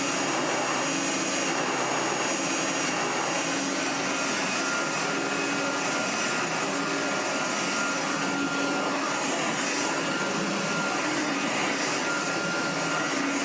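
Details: 1985 Hotpoint Super 3650 vacuum after restoration, bearings flushed and re-greased: steady even rush of air with faint high motor whine, no surging or rattles; healthy normal running with lots of airflow.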